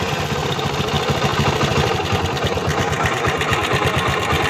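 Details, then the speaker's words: Worn 1999 Honda Biz C100 motorcycle engine after 25 years of use, before teardown: a busy, uneven clatter of knocks and rattles over a fast idle, with noises from the crankshaft bearings, connecting rod and timing. "well as you can see we have noises from the crankshaft bearings of the connecting rod distribution in short all the noises"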